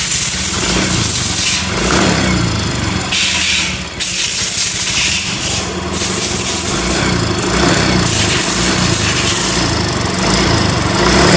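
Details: Yamaha Mio M3 scooter, engine warmed up and revved: rough, fast ticking grows louder with throttle, barely audible when cold; valve train ticking, worn camshaft suspected.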